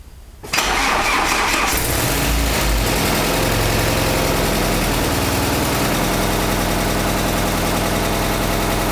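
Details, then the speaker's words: Alfa Romeo 156 Twin Spark after engine work to cure a knock, started for a half-hour warm-up idle: catches after brief crank and idles smoothly and evenly, no knocking or ticking over the exhaust note. "всё альфи сы Господа закончили запускаем греем и на полчаса Ставим корча на холостом ходу"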